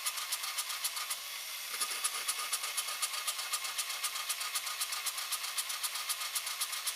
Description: 2004 ESCALADE ESV 6.0L LQ9 ENGINE, misfire on cyl#2 only at idle... intake valve leak is suspected... need to remove the heads and take this opportunity to upgrade the valvetrain.